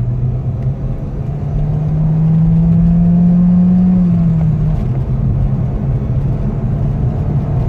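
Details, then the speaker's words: 2010 Peugeot 3008 1.6 turbo petrol that had P0299/P2261, no power and limp mode above 3.5–4k rpm, driven: deep engine drone rises smoothly with revs and eases off, no hesitation or stumble; normal turbo acceleration. "falling really good wait yeah it's fully really really really good guys absolutely brilliant no like no nothing the card is driving beautiful absolutely beautiful"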